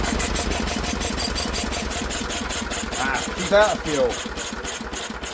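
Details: Old Lister engine, first run in many years after sitting, throttle held open with a stick, governor linkage not yet sorted: brisk, even chuffing at a steady fast pace, no knocks or misses; runs cleanly and sounds nice.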